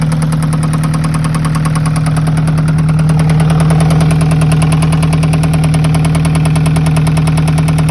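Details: Alfa Romeo 156 1.8 engine at idle: sharp regular knock, about two and a half per second, riding over the engine note; engine knock of unknown origin.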